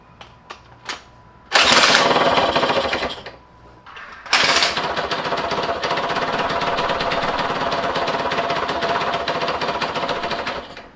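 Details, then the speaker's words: 1991 Yamaha YSR 50 two-stroke minibike, first start before restoration: after new spark plug (old one ungapped), it catches after failed kicks and buzzes raggedly, unevenly, never settling; about 100 psi compression; rough running, cause not yet found. "All right, so it seems like the spark plug was the issue because I'm able to get it kind of started now. It's not running well, but at least it's firing."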